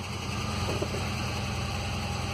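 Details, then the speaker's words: 2006 Ford Ranger 2.3L four-cylinder, 188,520 km, power loss, shaking and jerking on acceleration, cylinder 3 misfiring (P0300, P0303), no check light: uneven, shaky idle with lumpy low rumble. "está muy tembloroso y es típico característico de una pérdida de combustión algún cilindro es muy muy notorio"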